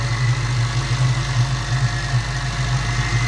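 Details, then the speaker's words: Ford Mustang Cobra V8 with tuned injectors and fuel pressure raised to 60 PSI via inline adapter: smooth, even low idle rumble with no knocks, misses or hunting; running well. "And the vehicle is running very well. There's pretty much no issues with this vehicle at all."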